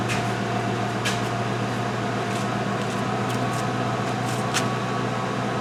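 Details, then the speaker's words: 2005 Mercury Grand Marquis after replacing both rear air springs: suspension air pump runs with a steady low electric hum and light clicks, raises the car to ride height and shuts off with no check-suspension warning; normal air compressor operation, quieter than before. "So picked it up, nice ride height, and obviously the pump came up, shut off, and the check suspension light is off, no warnings, so I think we got it."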